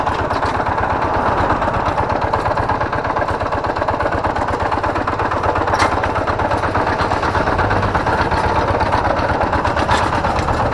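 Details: Kubota G3000 diesel tractor idling; easy start, good power and compression. Harsh, gravelly knock about three per second. Teardown found the flywheel-end NF308 bearing pitted, causing the rough sound.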